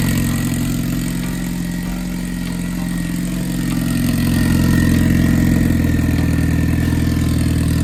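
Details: Boosted Honda B20B4 turbo four after repairs (new ground wire, new oil feed line, fuel fix, wastegate plumbing corrected): steady, even idle with low drone that swells slightly and holds; no misfire, ticking or knock, running properly.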